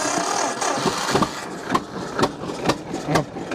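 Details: 1950 John Deere GW two-cylinder tractor with live hydraulics, power steering and Baker valve: slow uneven pops settling into steady lumpy idle; normal start, choke left slightly out since carburetor idle passages may be partly clogged.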